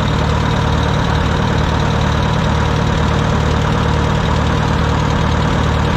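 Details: Wisconsin VH4D air-cooled engine on Bandit model 65 wood chipper, repaired after abandonment: steady even low-pitched drone at constant speed, no misses or knocks; starts great and runs well.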